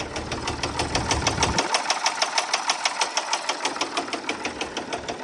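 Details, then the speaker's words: Case 1030 diesel tractor at idle: sharp, even ticking about three per second from the top end of the front cylinder, which is not firing and sprays fuel from the exhaust manifold. Suspected stuck valve or broken valve spring; top-end tick, misfiring cylinder. "that front cylinder isn't firing and it's spraying fuel out of the exhaust manifold. So, it either has a stuck valve or it has some kind of broken valve spring. It has some sort of head issue."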